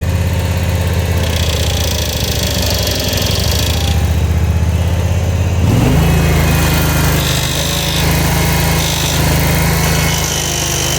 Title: Ferris IS3100Z - Loud noise and vibrations when engaging left hydro